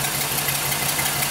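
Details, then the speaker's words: 2005 Chevrolet Express 3500 6.0 V8 cube van, crank/no-start case, running after crank sensor work: uneven, stumbling idle with choppy low throb; pronounced misfire, cylinders six and eight the biggest culprits. "sounds like it's skipping like crazy here yeah we wanted data definitely sounds like got a pretty missfire"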